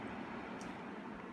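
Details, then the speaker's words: HVAC blower motor after bearing replacement, circuit board resoldered and cover refitted: steady even airflow rush with smooth motor hum, no humming or grinding; quiet, normal running (previously sounded like a jet airplane). "no humming it's nice and quiet that's blowing"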